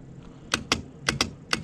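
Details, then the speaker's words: Trailer winch bench-tested on a battery with its controller, winch in and out: sharp paired clicks from the contactor with no motor hum, and the winch does not turn. "So you hear the clicking, something's going on."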